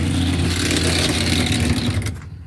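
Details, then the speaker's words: Classic Kenmore top-load washer on spin: loud rough whirring with rattle as motor spins freely for about two seconds, transmission not turning; broken motor-to-transmission coupler, fix by replacing coupler after removing water pump. "Okay, ahí tenemos el sonido característico de un copling malo. Se escucha inmediatamente."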